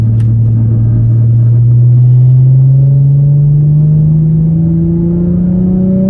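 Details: 2008 Infiniti G35 after new exhaust gaskets installed: deep exhaust drone rising smoothly with revs, no ticking or puffing leak; back to what it's supposed to sound like, exhaust sealed.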